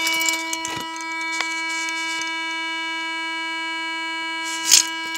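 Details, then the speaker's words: Car with engine off: steady unbroken high warning chime keeps sounding for days, normally only with door open; check engine and seatbelt lights on, a light goes off only with hazards on; persistent warning chime, cause not yet found. "You can hear that noise it's making. Usually it only makes that noise when the door's open."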